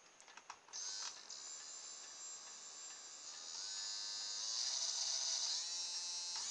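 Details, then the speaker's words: Small motor, probably a hairdryer motor with no voltage marked, powered from a dead cordless drill's battery and trigger as a variable supply; clean high-pitched whine climbing and settling with speed changes, no rattle or scraping, normal variable-speed running. "this one doesn't have a voltage written on it it's probably one of my hairdryer motors looking at the size of it and that works alright I don't know if we can hear it but you can certainly hear the speed change"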